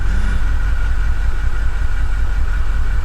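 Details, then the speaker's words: 2008 Mercedes CLK550 from Copart, run after water was cleared from the cylinders and fresh Liqui Moly 5W40 oil and new filter fitted: uneven, lumpy idle with stumbling irregular low thumps; engine misfire at idle. "it's it's uh misfiring right now i can hear it's misfiring"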